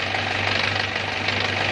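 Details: Four-wheel rice-field tractor diesel after its cracked engine block was welded and sealed with iron glue, test run after reassembly: steady, even diesel beat at constant speed, no knock or stumble; normal running, oil no longer leaking.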